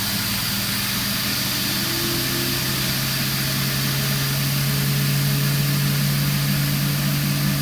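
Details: Indesit ISDP429 Autopump spin dryer (made by Hajdu, Hungary) spinning with hot water: smooth, constant low hum creeping up slightly, no knocking or grinding; running normally.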